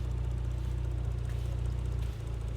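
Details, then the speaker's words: Nissan 240SX S13 swapped with a Toyota Soarer twin-turbo 1JZ inline six: a low, steady idle hum with an even rhythm, no knocks or misses; so smooth that water on the engine barely moves. "even when you rev it I mean it might move a little bit they just inline six Jay-Z's they just run so smooth like I don't know"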